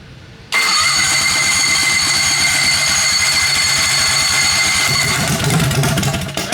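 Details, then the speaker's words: Turbocharged Predator 670 V-twin drag racer, first start on newly fitted fuel injection with a baseline tune: stumbles and runs unevenly over the fuel-pump whine, only kept alive by blipping the throttle; may improve after a long learning run cycle. "So we were running this thing and it's not too happy, but we were told that it wasn't going to be too happy to begin with. But it does run."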